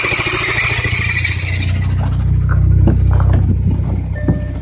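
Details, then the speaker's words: B7 Audi A4 petrol engine idling: harsh metallic grinding rasp over low rumble, idle jumps up; owner places it on the serpentine belt side, exact part unknown; metallic grinding noise at idle. "and then it does this it causes the idle to jump up like that it sounds terrible i know that"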